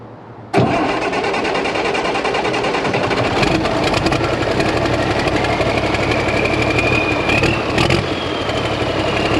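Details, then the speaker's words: 1086 diesel tractor after injection pump work: it cranks, catches and runs rough and uneven, staying alive only while the excess fuel delivery device is held manually; it dies once pressure builds. "my dad's inside he's gonna turn it over and i'm working this uh excess fuel delivery thing"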